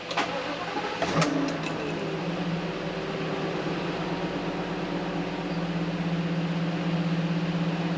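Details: Ford V10 in Class A RV on Ford 53 chassis, started after oil change: cranks, catches, settles into steady even idle with no knocks or ticks; normal engine start.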